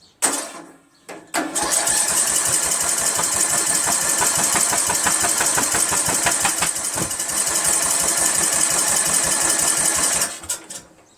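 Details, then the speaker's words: 1999 Craftsman LT1000 lawn tractor, Briggs 17.5HP: nine seconds of even cranking with no firing, despite 130 psi compression, good spark and fuel shot into the plug hole. Cranks but won't start. "What the hell, right? Crazy, right? How does it not ignite that fuel that's in there and make some noise?"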